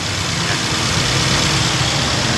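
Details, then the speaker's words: Toyota Avanza after repair of shaking and misfire from water sucked in through the throttle body when driving through rain water: even, settled idle with a steady hum, no stumbles, no warning light. Now runs cleanly. "เดี๋ยวประกอบแล้วก็ออกไปลองวิ่งิ่งให้ลูกค้านี้ก็เครื่องก็นิ่งปกติแล้วะไฟโชว์ป่ะอืครับ"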